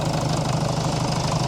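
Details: Jeep Liberty CRD 2.8L turbo diesel, started cold on a cold day right after a thermostat replacement, not yet warm: steady, even diesel clatter at low idle with a regular firing pulse, no misses or odd knocks; normal idle.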